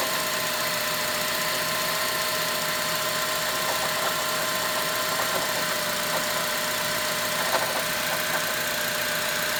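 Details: 2006 Honda Element idling: steady high-pitched ring over intermittent light ticking; owner suspects timing chain tensioner, unconfirmed.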